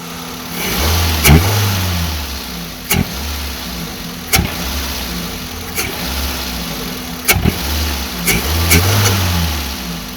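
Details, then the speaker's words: Maruti WagonR with odd engine sound on acceleration, running with air filter removed: engine blips with a loud hissing rush of air rising with revs, intake suction noise. "Air filter ഇല്ലാതെ വാഹനം സ്റ്റാർട്ട് ചെയ്യാം. അപ്പോൾ നിങ്ങൾക്ക് വ്യക്തമായി കേൾക്കാൻ സാധിക്കും ആ ഒരു എയർ സക്ക് ചെയ്യുന്ന സൗണ്ട്."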